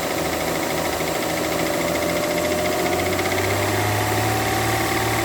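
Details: Mercedes W211 2009 3.5 engine at idle: a light, uneven ticking knock over a steady hum; engine knock, source not pinned down.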